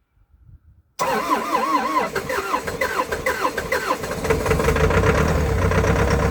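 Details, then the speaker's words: Old CAT excavator diesel, unrun for months, on a cold day with two new batteries and cleaned connections: long wavering starter grind before it catches into a rough, pulsing run; extended cranking, hard start. "i've been down here a few times now trying to fire this thing up and it just didn't want to play bottle"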